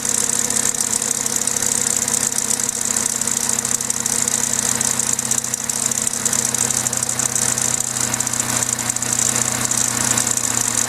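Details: Vauxhall/Opel A14XER 1.4 litre naturally aspirated inline-4 petrol engine at start-up: constant fast metallic rattle loudest in the top end, a slack timing chain; garage called it normal, but the chain later jumped a tooth.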